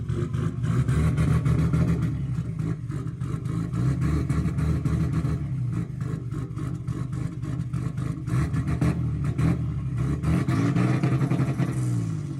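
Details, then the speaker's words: MK4 Toyota Supra 2JZ with non-factory injectors, running extremely rich despite new sensors and ECU: deep uneven lope at idle with irregular beat and low thump; misfire or dumping fuel suspected, possibly a sensor, not confirmed. "So, as you can see, the engine does run, and it runs pretty well, but we are having some issue. I'm not sure if it's a misfire, or if it's dumping fuel."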